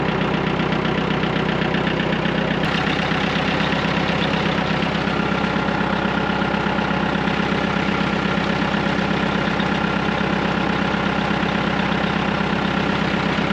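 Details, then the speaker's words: Massey Ferguson MF-255 tractor that had not been starting, now running, heard from a distance; steady, even diesel chug at idle, roughly two to three beats a second, no knocks or misses; normal running. "Okay, if you listen up ahead, you should hear the tractor running."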